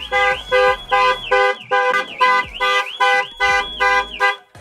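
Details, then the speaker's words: Range Rover Evoque, keyless entry, doors fail to lock from failed door lock actuators: loud warbling siren blasts two or three per second as the alarm goes off; alarm triggered by failed door lock actuators. "and the alarm goes mental so something else we're going to have to sort out"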